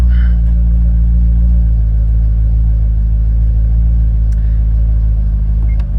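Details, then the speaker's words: 2008 C6 Corvette 430 hp LS3 V8, 35,274 miles, 40 psi oil pressure: deep smooth even idle rumble with no tapping or knocking; healthy, no knocks, ticks or leaks. "It's in top shape with no knocks or ticks or leaks."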